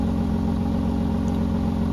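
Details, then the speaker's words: 1986 Ford F350 6.9 IDI diesel idling after exhaust welding, only about 10% quieter: fast, even puffing tick on the exhaust note, significant exhaust leak remains; owner suspects unchecked spots around the welded hanger or a missed weld. "it's 10% quier so we gave it our best um I'm thinking I didn't double check all the spots uh around that welded hanger uh or maybe I missed a spot welding but it's pretty significant"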